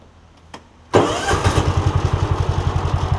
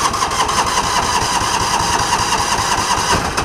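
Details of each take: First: John Deere Gator after replacing the Kawasaki ignition coil, restarted after a one-mile ride and a short rest; short crank catches at once, settles into an even steady idle thump; clean quick start. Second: John Deere Gator, hard starting misdiagnosed as carb trouble; about four seconds of steady starter cranking with no catch, idles only with choke feathering once started; weak spark from a failing ignition coil (Kawasaki 21171-7034), fix is coil replacement.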